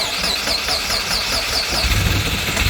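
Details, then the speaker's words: 1996 Subaru Forester S/TB boxer engine, after a fresh battery and a new fob battery cleared the immobiliser that had stopped it starting: starter churns a second or two, then it catches and settles into an even idle. "Oh, he wants to. Yes! Okay, she runs. Listen to that! Boxer engine!"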